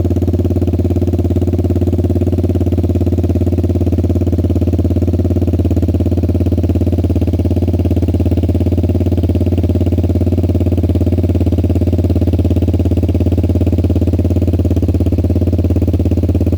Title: 2014 Suzuki Burgman 200 exhaust leak